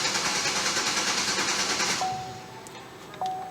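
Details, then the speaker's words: 2011 Chevrolet Impala 3.5 V6 flex-fuel, cold, that died on the highway, fuel gauge near empty, no fault codes: steady starter cranking about three turns a second after a brief start-stall, never fires; crank-no-start from missing fuel. "so attempting to crank the vehicle this is what happens got a little start stall there and then we have a crank no start condition"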